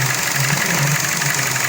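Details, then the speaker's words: 2012 Chevrolet Cruze 1.4L with codes P0171 and C0050, under the hood at idle. A steady hiss over a smooth, low idle, suspected vacuum leak at the PCV system. Fuel trims climb at idle and improve with throttle; checked by spraying brake cleaner. "So I can already hear it hissing. Sounds like it was coming from right"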